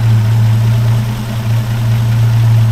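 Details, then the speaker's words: 1961 Rover P4 idling after its old Bakelite plug caps were replaced with rubber boots from a 1967 P6: deep, steady, even idle with no misses or rattles, fast idle backed off slightly; exhaust note now smoother. "Got fast idle out a bit there. That sounds great. I'm really pleased with that."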